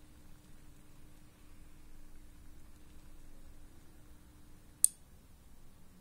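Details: DIY garden irrigation solenoid valve (SH5000) switched by Sonoff Basic and Relpol RM84 relay, tested dry on the bench: faint steady hum about five seconds, then a single click as it seats; valve closes normally.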